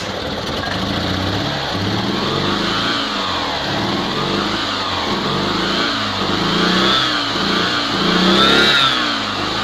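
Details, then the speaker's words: Invacar three-wheeler on axle stands after 14 years in a field, with belt-drive variable pulleys and a replaced exhaust, running on bottle fuel: revs rise and fall smoothly and evenly as oil and muck burn off the exhaust; running much better. "a lot better a lot of oil and fumes and muck burning off the exhaust"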